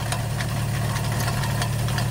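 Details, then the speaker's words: 1964 Sunbeam Alpine Series IV with Borg Warner automatic at idle: the worn water pump bearing lets the pulley wobble visibly and leaks coolant, giving gritty scraping and irregular light ticks; water pump bearing grinding, pump to be replaced. "If we look at this dead on, we can see how much that pulley is moving, not to mention the grinding sound coming from"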